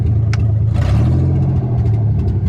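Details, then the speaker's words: Nissan 300ZX with 1990 engine just swapped in, cold, before MAF replacement: low drone with uneven stumbling pulse and hesitant rev; misfire, owner suspects old bad gas in fuel lines. "Definitely still got some of that bad gas in there. I'm gonna have to guess that that's what the missing is all about."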